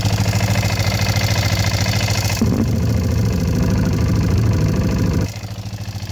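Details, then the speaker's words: Sat-ten-years ATV (Kawasaki Bayou 220 or Yamaha Bear Tracker 250), just oil-changed, at rough single-cylinder idle: rapid, fairly even top-end tick about 200 a minute, no smoke; owner suspects valves need adjusting, unconfirmed. Stalls when revved, air filter boot noted. "Oh yeah. Got a little bit of rappy tappy on this thing."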